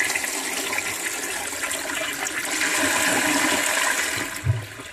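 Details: 1958 Canadian Standard Cadet toilet (bowl dated May 1958) after mineral deposits were cleared and water dams removed: a strong, full rush of water swirls and drains cleanly, then tails off to a gurgle; healthy flush, noticeably improved.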